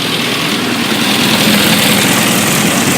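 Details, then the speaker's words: Freshly rebuilt 1380cc Mini engine with a Cooper S remote-shift 3-synchro gearbox, test-running on a test alternator and test exhaust. Steady, even quick idle with no knocks or misses; quiet, no vibration, no oil leaks. Normal idle. "But here we go. Beautiful, quiet, no vibration, smooth, shift through all the gears, no oil leaks. Looking very nice."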